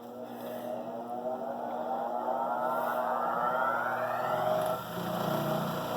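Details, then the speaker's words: Rikon slow-speed bench grinder clamped to the workbench with F-clamps, side covers off, wheels diamond-dressed and running concentric yet still vibrating; motor spins up with rising whine then steady hum with faint pulsing throb from an out-of-balance wheel. "I'll turn this on and see the vibration I've got a couple of F clamps to hold these down to the workbench otherwise it seems to vibrate Evette that's because it's got some rubber feet on there"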